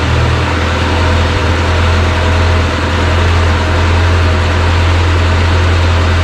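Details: JLG 40G man lift engine running: a steady, even low hum holds constant throughout with no misses or knocks. It idles smoothly.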